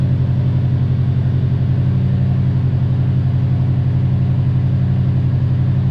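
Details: Subaru WRX STI V5 engine running with a deep, even rumble and steady beat and no tick on top, after fixing the ticking; it sounds smooth and healthy.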